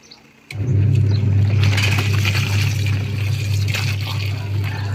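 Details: Singer twin-tub washing machine after replacing a worn, slipping drive belt, loaded with clothes and water: even motor hum with sloshing, no slipping or labouring; wash drive now strong.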